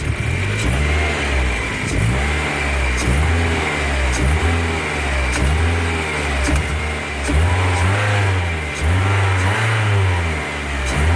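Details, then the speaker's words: BMW E30 318iS after fixing several vacuum leaks, including a large one in a purge line: repeated quick throttle blips climb and fall cleanly without hesitation. Normal, crisp throttle response. "throttle it just feels a lot more instant the throttle response feels straight away like really really good"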